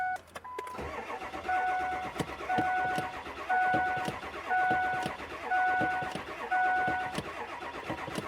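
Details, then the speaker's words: 2003 Ford F350 7.3L, reportedly starting cold but not when hot, here not yet started: starter cranks steadily with a chime ticking about once a second, never fires, and white smoke comes from the tailpipe; crank no start, cause unconfirmed. "It's not starting. Now it's a crank no start."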